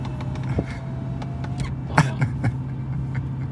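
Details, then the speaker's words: Mercedes CL500 on a test drive: steady low drone and tone above the exhaust note, whine from the front louder than the exhaust; front-end whine, cause unknown. "Man hört halt Auspuffgeräusch, aber das Jaulen vorne ist lauter."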